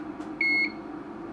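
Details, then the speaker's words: Broken LED dot-matrix scrolling sign (item CL 153.157 UK, made 2008) on bench supply set to 5 V, about 2 A: constant quarter-second beeps about once a second with an occasional flash at the top of the display. "all right so it appears we've got a constant beeping with an occasional Flash"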